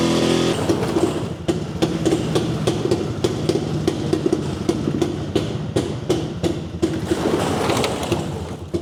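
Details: Jawa 250 two-stroke, first start after engine opened for smoking following a dyno run: uneven popping idle with irregular stumbles, sounds rich, still smoking somewhat; owner agrees carburetor seems out of tune.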